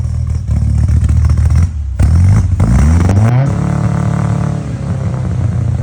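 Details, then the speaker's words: Custom-built Toyota four-cylinder with carbs, velocity stacks and modified straight-advance distributor, first start after build: crisp blips climb smoothly, fall back cleanly to steady idle, throaty intake and cam note; engine sounds healthy. "Tony actually said, and he's not a Toyota guy or a four-cylinder guy, he said it sounded good for a four-cylinder. And uh you know, revving it up and hearing those um velocity stacks sing is pretty cool."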